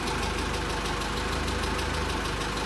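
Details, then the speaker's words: VW Caddy 2.0 BSX, factory methane (CNG) engine with higher compression and diesel-like sound, after new Bosch wires and plugs cured misfire; warm idle with light quick metallic tapping, one or two valves clattering, owner suspects hydraulic lifters. "прислушаться, слышно, как один-два клапана у нас тарабанит."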